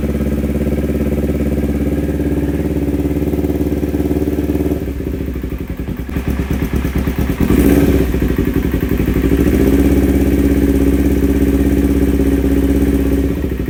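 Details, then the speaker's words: Kawasaki Ninja 250 carbureted twin before carburetor repair, hesitating and fuel-thirsty, running with open air filter, microphone brought near the air filter: lumpy idle with heavy vacuum pulsing and light ticking, stepping unevenly as throttle opens; uneven, unsettled running. "Oke, coba kita perdekat ya perangkatnya ke filter udara. Itu bantingan vakum terasa banget."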